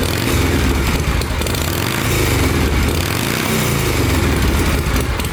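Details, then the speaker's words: Harley Shovelhead V-twin running with the exhaust baffle pulled, after the intake leak was fixed by tightening the bands: a loud, raw, loping beat with an open, barking exhaust, holding steady with no knock or miss. The rider remarks how much quieter it is. "Wild how much quieter it is."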